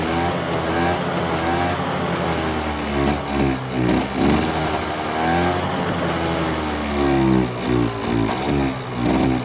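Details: Polaris Trail Boss 350 two-stroke quad abandoned 15 years, fed poured gas from the can: screaming near the rev limiter, revs bouncing and surging but pulling cleanly; runs strongly.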